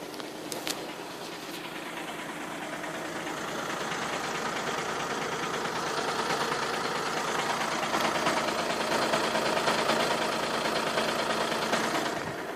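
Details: Abnormal noise at idle on a 2012 VW Passat CC 2.0 TDI with DSG: a fairly regular tapping, roughly three per second, rides over the diesel idle; source unclear.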